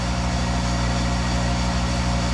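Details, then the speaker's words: Monarch 10EE lathe (thyratron DC variable-speed drive, 5 hp), run after sitting two months: steady low transformer hum with a deep buzz, a bit louder than on other machines but quieter once warm. Normal transformer hum. "once it warms up the big Transformer uh quiets down and the big Transformer in this one is a little bit more noise there than others I've seen but it works"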